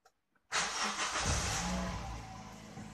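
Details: Petrol car that was hard to start, restarted after a loose fuel hose connection was tightened: silence, then the engine catches instantly with no drawn-out cranking and settles into a steady idle; starts clean and healthy.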